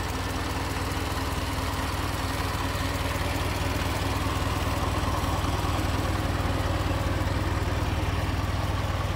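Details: 1920 Ford Model T barn find, sat about 10 years, after teardown and reassembly: steady, even low chuffing beat at slow idle with no knocks or misses; normal idle.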